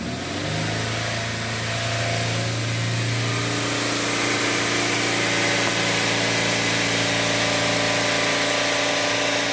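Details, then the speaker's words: 2013 Mercedes ML350, naturally aspirated, with cam timing codes, extended cranking and a startup rattle, held near 3500 rpm and surging on its own; suspected oiling issue coinciding with the oil pressure waveform. Busy, rattly roar swelling and easing. "if you can hear that surging that's not me with the idol it's doing it on its own"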